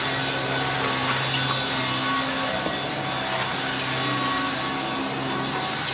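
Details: Electrolux 612E (600 series) upright vacuum, about two years owned, new Qualtex brushroll fitted, lowest carpet setting: steady motor drone with even brushroll hum and carpet swish, no knocking or rubbing; running smoothly.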